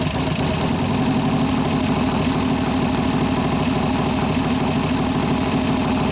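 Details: 1988 Harley-Davidson FXR V-twin after lifter-noise repair with pushrod adjustment and cam change: steady idle with an even, loping beat and no ticking from the top end; lifters now quiet.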